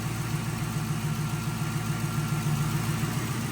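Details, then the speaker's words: 2011 Ford Crown Victoria 4.6L V8 just after throttle body cleaning and new spark plugs and ignition coils: smooth, even idle with no misses or knocks, much better than before, no check engine light. "And that sounds good. 20 times better. A thousand sounds better than that first start up."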